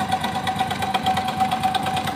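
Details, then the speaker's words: Honda Biz 100 motorcycle at idle: fast, even metallic clatter over a steady whirr, louder when revved, ticking with every engine turn; cam chain rattle. "hoje pessoal estamos aqui com essa Biz 100 à costa apresentando um barulho no motor"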